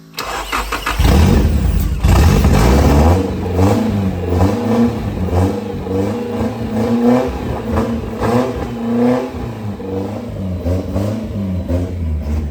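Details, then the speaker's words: Nissan 240SX S13 hatch with S15 naturally aspirated SR20DE swap, first start, straight-piped with no exhaust: very loud raw open rasp with throttle blips and a lumpy settle. "Straight piped NASR sounds. Exactly what people are after."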